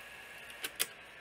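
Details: New-old-stock Sony SL-C7 Betamax before repair: a quiet, even high whir of tape winding on fast forward, broken by two sharp clicks. Fast forward works normally, while rewind struggles and a motor squeak remains.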